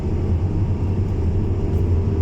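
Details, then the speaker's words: Renault Master 2.5 dCi G9U (about 100 hp) van with low-to-no boost (P0299), on test drive under acceleration at 50-55: steady deep drone pulling evenly, no hiss or wind noise; turbo thought slightly sticky, performance returning. Normal running under load. "no hissy, no wind noise. I mean, we're up to 50-55, and the van is behaving like as it should do."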